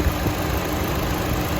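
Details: Chevrolet Cruze after valve cover replacement for a failed PCV valve diaphragm that caused a vacuum leak and a check engine light. Steady, low idle hum with no hiss or whistle; idles smoothly.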